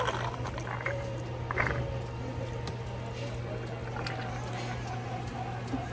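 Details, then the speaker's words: Coffee machine cleaning cycle with a cleaning tablet after wiping and refitting the scraper arm: steady low pump hum with bursts of hissing steam and gurgling water sent through a valve to the drain. Normal steam venting. "So you can hear some steam coming out here from the drain, and it will also send steam in this valve and will go to the drain."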